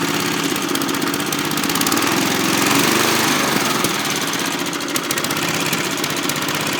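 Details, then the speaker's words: 1981 Kubota gasoline four-stroke rototiller engine just started, running fast and even, crisp putter about four beats a second with no misses or knocks; exhaust hot, warmed up quickly; sounds good, normal running. "turn woohoo listen to this thing go kill switch works woohoo this thing sounds good exhaust is hot too that didn't take long to get warmed up"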